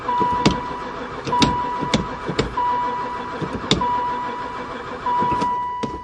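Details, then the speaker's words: Van sitting unused about four years, barely ran before; cranked after adding gas and dumping fuel into intake, uneven short cranking bursts, never fires; owner suspects no spark; crank no start. "um think we definitely got no spark I give up"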